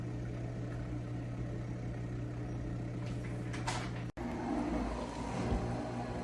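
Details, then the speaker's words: KitchenAid KUDS30IXSS0 dishwasher, previously not starting with 6 4 error, reassembled after motor bench test: steady low motor hum with water filling and sloshing and a brief click; now washes normally, fault apparently cleared. "and it actually worked so here you can hear it filling with water and it did this before"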